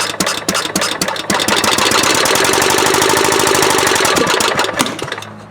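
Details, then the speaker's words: Kohler CV16S engine newly swapped into a 1998 Scott's lawn tractor, started with choke: cranking, uneven firing bursts, short rough run that dies; hard starting, cause not yet found. "Oh, he wants to. Oh, it's struggling. It wants to, though."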